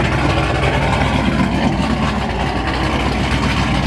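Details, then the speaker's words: Car at first start-up after a Stage 6 cam install, throttle held until it stabilized and then released: loud, deep, choppy loping idle at about four pulses a second; aggressive cam lope idle. "Hold the gas on it until it stabilizes, and then let go of the gas. Oh! Oh! Now we go! Hear the chop!"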